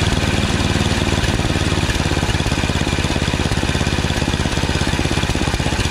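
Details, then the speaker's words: Yard Machines snowblower with 8 HP Tecumseh engine after carburetor replacement (632334A copy) and new fuel line; previously surged, hunted and wouldn't prime. Idle screw turned up slightly, now steady even beat with no surging, primes fine; normal running. "new carburetor i just over the idle a little bit through the idle screw here as you can see it doesn't surge anymore"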